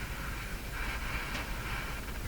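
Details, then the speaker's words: Philco 49-501 Boomerang radio with suspect special 30-4644 tuned capacitor: hissy background swelling into soft whooshes about twice a second, then fading; intermittent swooshing noise, cause unknown. "I'm tapping my bench and it start a lot of strange sound coming out of it there not from this it's going away"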